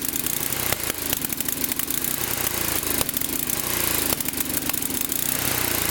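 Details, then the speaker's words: Late-model, fairly low-hour Tecumseh Snow King small engine running poorly: ragged misses with sharp backfire pops, backfires and stalls when the choke is taken off or under load; leaking intake valve, mimicking a fuel or timing fault. "so as you can see the basic symptoms of the problem were just that the engine doesn't run very well it sort of misses and when you try to take the choke off it backfires and stalls out"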